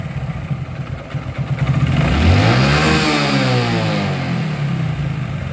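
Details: Hero Glamour 125, clutch lever pulled, after fixing the clutch bush that was touching the housing: even engine beat, smooth rev rise and fall, no scraping or rubbing; clutch side now healthy.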